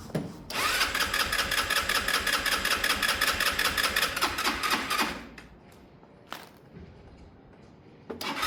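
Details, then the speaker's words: Sinnis Harrier motorcycle cranked with a booster pack: starter whirs at an even beat for about four seconds without catching, then stops; hard starting while fuel is still being drawn through into the carburettor. "It's still going to seem like it doesn't start well, but at the moment we're really just sucking fuel through into the carb."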